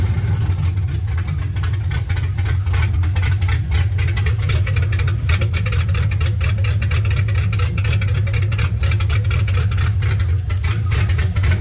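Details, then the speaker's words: 1979 Camaro LS-swapped V8, long-sat engine, intake retightened for suspected vacuum leak, single 5-pin setup: deep uneven loping idle with irregular exhaust stumbles; owner suspects coil pack, Amazon MAF or vacuum leak, unconfirmed. "It is not running great. I wonder if it's just maybe you got a bad coil pack or something."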